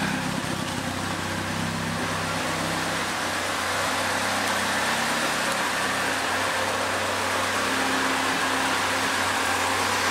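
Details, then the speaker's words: Second-hand Triumph Dolomite 1300 engine just fitted to a Gentry MG TF Replica, first run, warmed up: steady exhaust note with an even low drone and a hiss of airflow, no misses or knocks; runs clean and sweet. "Well, let's see if we can just let you hear this nice exhaust note that she's got. Yeah, sweet."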